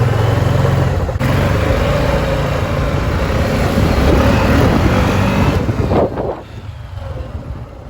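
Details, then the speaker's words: Old Honda Foreman Rubicon 500 4x4 ATV revived after sitting for years, with fuel line installed and air filter cleaned: even, steady low single-cylinder drone with no stumbling or misses, no hesitation; normal running. "all right so at this point it seems really no hesitation at all at this point but runs good"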